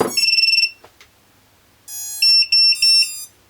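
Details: XJB 143mm FPV quad after 4-in-1 ESC replacement and waterproofing, powered up: rising run of startup tones then short confirmation beeps, a normal ESC power-up; an intermittent fault is still suspected but not heard here.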